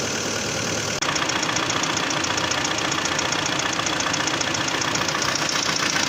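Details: 2011 Hyundai Santa Fe 2.4 (4GKE) engine, warm idle: sharp even tapping about four times a second; engine knock when hot, source not pinned down.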